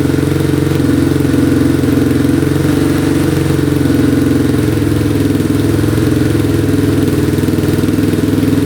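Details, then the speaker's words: Yamaha Warrior 350 quad, still smoking a little: starts right up, even single-cylinder thumping with smooth exhaust note and no knocking; running normally. "Alright, she's running pretty good. Starts right up. Engine sounds good, no knocking."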